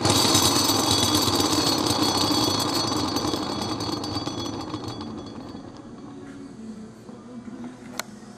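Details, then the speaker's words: J79/LM1500 gas turbine thrust bearing, removed and spun by hand: harsh grinding rattle fading as it slows, showing the ball bearing is rough, damaged and scrap. "And now I'm going to show you why this bearing is scrap."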